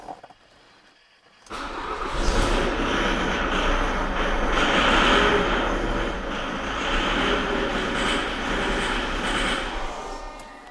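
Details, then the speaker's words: 2008 Jaguar X-Type 2.0 diesel, noisy and smoking: harsh, clattery running with an uneven rattle at idle; fuel pressure regulator codes set, rail pressure maxes out at 1800 bar, a rail pressure regulation fault. "basically what's happening there is the rail pressure's maxing out to 1800 bar so there's a there's definitely a regulation issue with this vehicle"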